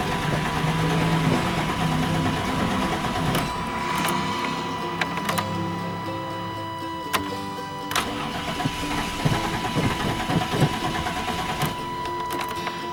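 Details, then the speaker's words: 1998 Chevy Vortec truck not run in 10 years, about 4 gallons of fuel added, filters and lines empty; starter cranks steadily but engine never catches – crank no start, fuel not yet delivered. "might take a little while to get fuel to it because it didn't have fuel in the filters and it didn't have fuel in the uh up the fuel on"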